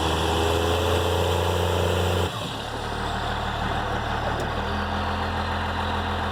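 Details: Dodge Ram 2500/3500 Cummins diesel; steady, even idle with a low, smooth rumble and no turbo whistle or rattle, healthy.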